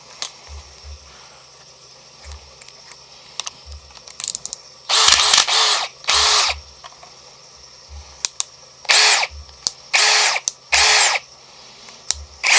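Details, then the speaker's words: AEG BSB18BL-0 brushless drill running free with no load: short bursts of whirring with a low rattling clunk underneath. Possibly backlash in the gearbox; a Milwaukee drill makes a similar clunk. No-load clunking. "could just be some sort of backlash in the in the gearbox"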